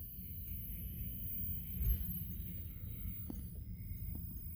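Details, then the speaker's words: 1970 Packard Bell 98C22 hybrid colour TV chassis on a test jig at power-on: steady deep hum under faint ticks; horizontal output tube later found red-plating. Cause of the hum is not confirmed. "okay that looks like it I hear it now I hear it humming"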